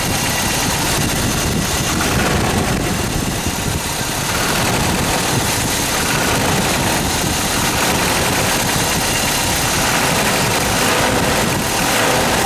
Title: Toyota 22RE Engine Death Rattle Noise ?